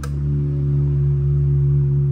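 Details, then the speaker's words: Electrolux LTD11 washing machine, empty, inlet valve energised during MAT pressure-switch level test: steady low electrical hum at one pitch, valve buzzing as if filling; normal. "ó a máquina vazia a válvula tá fazendo barulho Mesmo que tivesse enchendo vai fazer mais uma vez tá"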